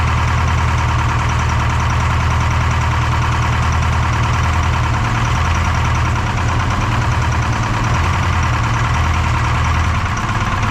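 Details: Detroit 4-53T diesel with 9G90 injectors, about 30 miles on them, full fuel with the modulator off: heavy lumpy drone, uneven beat. Injector number two, coldest by IR gun, not firing: dead cylinder; owner later plans a fuel pressure check.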